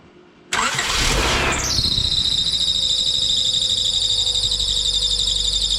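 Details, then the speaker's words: Engine cranks, catches, then a loud steady belt squeal over idle after timing belt job, no coolant, brief run; no knocking or ticking; owner suspects loose belt and low fluid drained during disassembly. "did you guys hear that there was no knocking there was no crazy ticking just a crazy old loud squealing belt like a mofo and it's probably loose and low on fluid"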